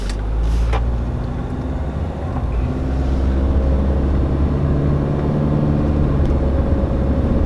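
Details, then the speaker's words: VGT turbodiesel after repair of jerking on acceleration; slow acceleration now gives a smooth drone without the former coughing or wind sound, intake air and boost forming a constant waveform: normal driving. "Let's do it again There's no change in sound anymore Then I'll try driving"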